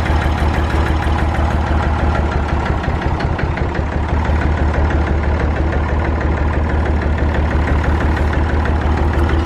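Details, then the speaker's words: Massey Ferguson 35 diesel tractor, stored unused, one cylinder honed during rebuild but never run in: lumpy, uneven beat of about three pulses a second with missing strokes; running on two cylinders, owner thinks it needs working in; on three once warm under load. "You can hear it was only running on two cylinders or so. It's because the one cylinder got honed out when it was rebuilt and it hasn't been worked, it's just sat, so he thinks it needs to be worked."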